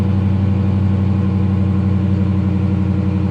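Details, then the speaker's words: Repo car at Copart with 73,000 miles, idling after push-button start; deep smooth steady note, no knocks, misses or ticks, runs great. "but it runs great"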